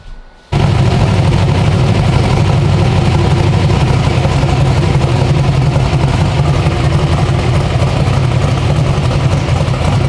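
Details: 372 small-block Chevy V8 in an original S10, on an LS tune file after timing was added; it catches instantly and holds a deep, steady, even idle with no misses. Normal idle.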